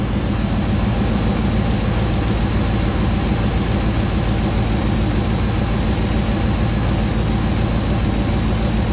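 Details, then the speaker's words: Rebuilt 2009 Hemi 1500 V8 just after first start: deep, even burble at settled idle, no misses, ticks or knocks, speed steady as it warms; about 87 psi oil pressure, no longer jerking. "sounds nice and smooth it's coming down on an idle we're not seeing it jerk around like it was before so that's good he sounds nice and happy"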